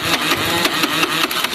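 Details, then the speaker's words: Dafra Riva 150 start-button fault; after repair the starter cranks, the engine catches and runs unevenly with a light throttle blip, needing a perfect idle to run. Starting circuit now works. "ela só não tá pegando porque tem que tá tem que estar na lenta perfeita ela vai pegar mas você viu que funcionou né"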